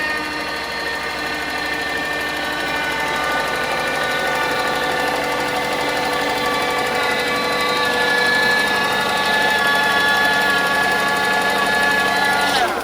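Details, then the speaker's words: Mercedes W140 at idle, power steering pump run with no fluid due to a massive power steering leak: a steady high whine with a fine buzzing edge over the engine. "that's just the power steering pump because it's had no liquid in it so it actually has a massive power steering leak"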